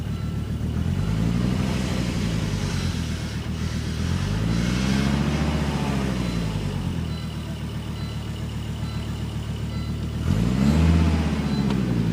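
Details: Volvo S70 cold start: cold idle surges and sags every few seconds with uneven stumbling misfire; solved by a full tune-up, exact cause unknown.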